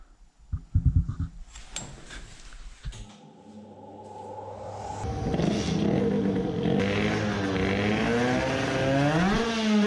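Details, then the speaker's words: Two-stroke moped after raising carburettor to horizontal angle with a riser: revs to a high wavering buzz that breaks up and stutters near the top, no improvement; high-rpm misfire persists, new plug next (old iridium plug totally black). "it was not that either if that had the slightest difference we should have heard it but it was not any better"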